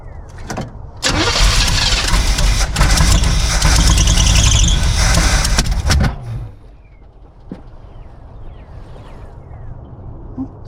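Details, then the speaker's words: 1976 Chevy K10 shortbed, former mud truck parked about 10 years, first start on unknown old gas: starter cranks, engine catches with loud uneven roar, then lumpy unsteady idle; rough running, timing suspected slightly off, not confirmed. "It almost sounds like the timing is a little bit off. Yeah, I'd say the timer's a little bit off."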